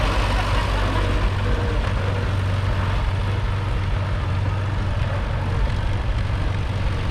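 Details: Allis Chalmers WD narrow-front row-crop tractor, seized that morning, freed and running: low, uneven chuffing idle about four beats a second that lopes and stumbles; runs but needs a tune-up.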